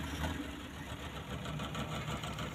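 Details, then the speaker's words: Mitsubishi Colt 120SS engine, previously hard to start with lost ignition current; manifold vacuum lines found unplugged, engine vibrates but stays quiet. Steady, even idle, low mid-pitched hum, no knocks or misses: normal idle after repair. "Lur, the one in the manipol, yes, the machine vibrates continuously, but it's just as quiet."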